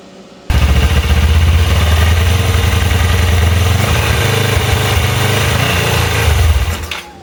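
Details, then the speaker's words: Go-kart engine swap, freshly reassembled engine: loud, lumpy, uneven low chugging that never climbs; runs but won't rev, owner suspects vacuum leak. "So, it runs, but it doesn't rev. So, um I'm guessing it's probably a vacuum leak or something somewhere."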